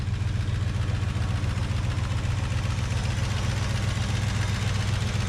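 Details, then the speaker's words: 1968 Plymouth Road Runner V8, parked 38 years, running after a stuck fuel pump was freed and the timing set: low, steady rumble with even firing pulses at a constant idle and no knock or miss; the engine runs fine. "you got it going bro 37 years hey what you doing over here guys yeah we did it"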